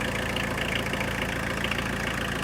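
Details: Tata Winger diesel after coolant top-up, warm engine idling: steady, even idle with no knocks, misses or hunting; normal.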